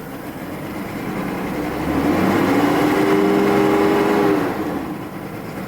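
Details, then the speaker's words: 1993 Mercedes S600 W140 V12 that hasn't run in a while and smells of old gas: revs climb sluggishly below 4000 rpm and flatten, feeling hampered, with no knocks. The owner suspects a wrong air-fuel mixture, not confirmed. "It sounds nice. It just ain't firing right. It's got the wrong air-fuel mixture, or I don't know."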